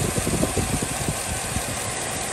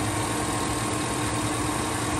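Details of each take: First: 2007 Chevy Tahoe at idle, code P0307: engine shaking with uneven lumpy thumps from misfire on cylinder 7; persisted after new plugs, wires and coil; caused by collapsed AFM lifter, fixed by releasing lifter, modifying VLOM and deleting AFM. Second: 2007 Chevy Tahoe V8 idling after fixing a cylinder 7 misfire (P0307) caused by a collapsed AFM lifter, with AFM deleted and ECU reprogrammed: low even rumble, steady beat, no stumble, shake or ticking.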